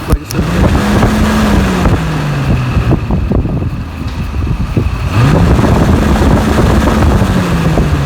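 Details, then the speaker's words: 1999 Jeep XJ Cherokee inline-six electric cooling fan motor bench-tested direct from the battery: steady whir with a hum rising and falling in pitch under wind buffeting; motor spins freely and works. "there we go there we go very good that motor is working"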